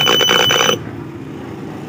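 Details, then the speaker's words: Devant 32-inch smart TV with no picture, powered on from standby: a sharp, steady high-pitched whistle that cuts off after under a second, pointing to an open backlight. "Para may sumisipol mga bro narinig niyo"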